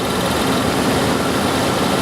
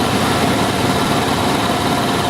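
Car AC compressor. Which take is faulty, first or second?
first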